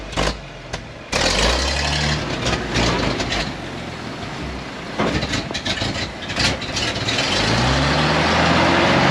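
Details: 1956 GMC 630 fire truck, 503 straight-six with carburetor, rescued off a farm, restarted after revival: cranks, catches, settles into an uneven but steady idle with exhaust roughness.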